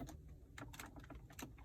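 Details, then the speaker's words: Interior trim on a 2019 Mercedes-AMG C63S Coupe with 6,000 miles rattles when pressed: irregular little clicks and creaks as the poorly fitted, not form-fitted panel flexes against its mounts. "it just makes all these noises it's just not form-fitted you can see it flex a little bit if i push down on it"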